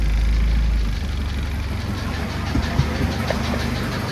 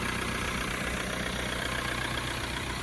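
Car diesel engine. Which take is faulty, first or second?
first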